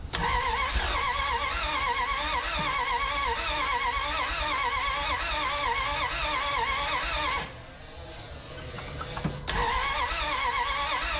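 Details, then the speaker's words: 1981 Dodge D150 after the distributor was reset to a 0.008 gap to fix no spark, with only a little gas in the tank due to a leaking fill hose. Cranking with irregular pops and sputters that catch briefly and die. "I heard it popping and spitting"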